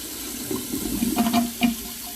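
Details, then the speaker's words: Kitchen sink filled with water, then drained: irregular bubbling glugs and gurgles instead of a smooth flow. The drain is piped with multiple turns; venting issue doubted, may need cabling or jetting; gurgling slow drain. "yeah you hear it that's not supposed to make that noise so what it's supposed to do is just go just straight out you could have a venting issue but i doubt it"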